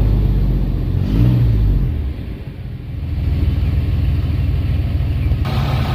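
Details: 1994 GMC Jimmy 4x4, 4.3 V6 CPI, 191,000 miles, revived after sitting six years: restart after the long drive, no oil used, no smoke. Quick crank, prompt catch, brief flare, then steady even low idle rumble; normal start and idle.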